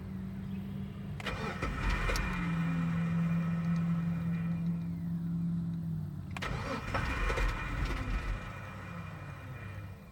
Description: This is what happens when I try to start my Jeep